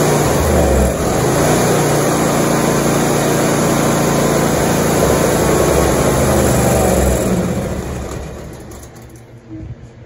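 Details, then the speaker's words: 2016 John Deere X330 lawn tractor, unstarted since 2018, new battery, fuel solenoid bypassed. Twin runs steadily on choke, then fades and dies off choke, starved of fuel. Main jet and idle jet likely clogged in the carburetor. "so let's choke it and give it a crank i'm gonna choke it with my wrist here and as you can tell it will run on choke but as soon as you take it off choke it dies out so"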